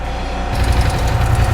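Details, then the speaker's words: 2022 Polaris Sportsman 850 ATV engine running: heavy, rapid, steady hammering knock from deep in the bottom end; dealership suspected rod bearings, owners suspected the water pump; engine knocking. "You can hear it's it's knocking really really bad uh dealership had it for a while they suspected that it was the rod bearings"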